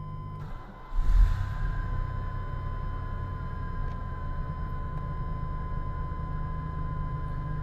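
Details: Cold 1995 Chevy S-10 petrol engine holding a steady fast idle of around 1000 rpm (owner reports about 500 in summer) that never settles, caused by a vacuum leak traced to the brake booster check valve; heard before the check valve was installed.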